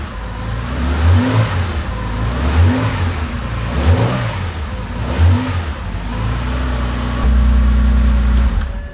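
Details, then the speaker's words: Porsche 911 2.8 RSR build on a new Link ECU tune with revised cold start and throttle ramping, first start in weeks: a smooth cold start, several clean even throttle blips, then a steady idle with no misfires, rattles or heavy smoke. "that cold start seemed pretty smooth seems to be uh starting and idling reasonably nicely and and and happily not blowing heaps of smoke"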